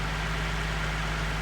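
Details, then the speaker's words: Nissan 370Z Nismo, 29,320 miles, cold start after sitting a while, heard with the hood open: smooth, steady idle slightly raised, no squeaks, ticks or belt chirp; normal, healthy cold-start idle. "As you can hear, no squeaks or nothing."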